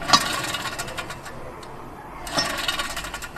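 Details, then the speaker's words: Ford Focus rear wheel bearing (hub-flange unit), removed and spun by hand: dry gritty rasp fading and picking up again, confirming a failed rear bearing; replacement cured the noise on road test. "所以说进一步确定就是我们的这个后轮轴承损坏了。"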